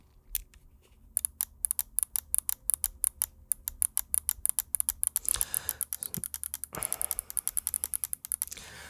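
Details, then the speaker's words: Coolermaster MM710 lightweight mouse: light pressure on the sides flexes the shell and triggers the left side buttons, giving rapid sharp plastic clicks. "when pressing in the sides with a little bit of pressure the buttons actually trigger on the left side"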